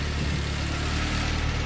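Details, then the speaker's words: K-swapped rear-wheel-drive Mitsubishi Starion idling after a tuner's street tune on a safe tune and spark plugs replaced for suspected fouling: steady, even low petrol hum with no misses or stumbles; tune bugs worked out, smooth settled idle. "awesome you can see it's idling really nice right now and you worked out a lot of little bugs that we had in the tune"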